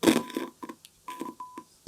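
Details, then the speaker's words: 1965 SABA Stereo I SR16 tube radio: 1 kHz, 1 V RMS tone injected at output pentode anode pins 3 and 8, heard as clear steady tone bursts with contact clicks; output transformer is fine. "yep can you hear that that's one of the anodes of one of the pentos in that tube and eight is the other one brilliant one of those Transformers is fine"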